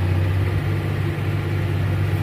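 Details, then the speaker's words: Caterpillar diesel machine after repaired injectors refitted (previously cranked but would not start without starting fluid): deep even rumble at high revs, no knocks or misses; normal running. "Bueno ahí está la máquina en marcha [Música] bueno como puedes ver está en marcha la máquina"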